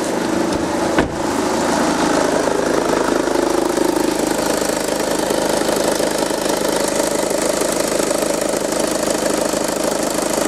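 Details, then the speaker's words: VW Passat B6 2.0 TDI after the ribbed drive belt was refitted to fix an unusual engine noise: a brief knock, then an even, steady diesel idle with no squeal or chirp. It sounds much better. "ja das hört sich ja viel besser an"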